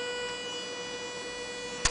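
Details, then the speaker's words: 9 V max DC motor on Arduino Mega 2560, stopped at low potentiometer setting; steady high-pitched whine with no spinning sound, stalled but still powered, singing from drive pulses. "you keep hearing the motor obviously very pitchy noise anyway I found it remarkable"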